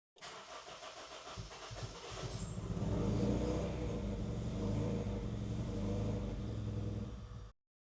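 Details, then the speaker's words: Honda CR-V with a misfire on all 4 cylinders: a long crank, then a rough, stumbling, uneven run before it dies. The cause was the distributor reinstalled with the firing order mixed up. "Maybe I put the distributor on backwards. One sec. All right. Little whoops on my part. Had the firing order mixed up on the distributor after I put it back on."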